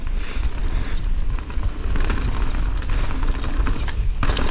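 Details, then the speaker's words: Nukeproof Giga 290 mountain bike climbing and riding slippery, rough DIY trails: irregular metallic slapping and rattling over tyre and trail rumble as the chain flaps against the frame; chain slap. "Oh, it's slippery. Yeah. Oh, chain slap central."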